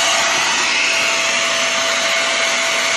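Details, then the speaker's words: Shark vacuum switched on: loud, strained high-pitched rushing roar with a thin steady whistle and poor suction; clogged suction path. "usually usually we're not selecting noises like that that means that it's clogged up"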